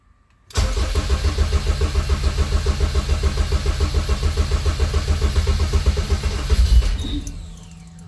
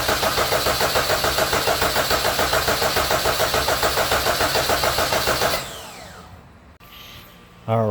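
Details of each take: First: Honda K24 engine just swapped into a CRX, first start: it catches and runs with a lumpy pulse for several seconds, then dies on its own; running sounds good otherwise. Stall, cause unknown. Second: Rebuilt Honda K24 engine swapped into a CRX, cranked with spark plugs and coils installed but fuel injectors unplugged, coolant filled: steady, even cranking beat of about three and a half compression strokes per second, no odd knocks; compression sounds healthy and even.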